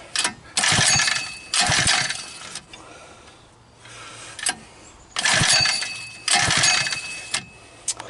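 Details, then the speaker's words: Homemade ATV with 79cc four-stroke engine swapped in, first start attempts with starting fluid, switch position uncertain: repeated recoil pulls, engine spins and coughs but never catches; spark not yet checked, cause unconfirmed. "Well, it should be enough to do something, I hope. Doesn't sound like too much. Let's give it another one. Sounds like a whole lot of nutting."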